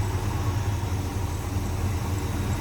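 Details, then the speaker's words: 1957 Chevrolet Bel Air hardtop, 350 small block with Pro Comp intake, 700R4 automatic, a little over 7000 since engine rebuild: steady, even low idle rumble with no misses, knocks or ticks; smooth, healthy idle. "nicely equipped smooth running sounds good a little over 7000 since the engine and were rebuilt"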